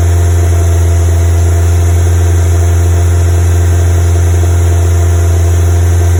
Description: CO emissions high at fast idle caused by misfire. Fitted new leads still misfiring at fast idle.